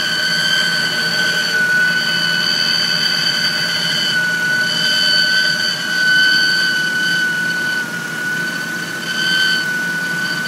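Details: 1997 Honda Civic DX, 5-speed, 4-cylinder, at idle: a steady high-pitched whine or scream holds one pitch; the owner suspects the timing belt, not confirmed.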